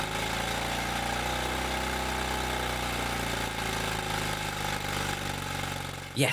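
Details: Bolens QT17 garden tractor single-cylinder engine after oil change, breaker points set, carburetor refitted with new gasket and air element: catches and settles into steady, even putter without misses; afterwards heavy white smoke and RPM surging once warm.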